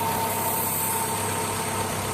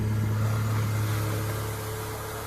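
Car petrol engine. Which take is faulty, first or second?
first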